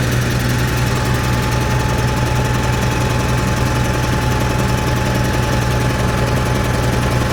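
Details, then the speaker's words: Cat 3306 engine that wouldn't carry a load: loud, deep drone with an uneven, lumpy pulse about once a second; misfire first thought to be a valve or wet plugs, number six cylinder dead, traced to a failed coil. "I can hear it's it's missing right now sounds like it has a valve or something it's popping"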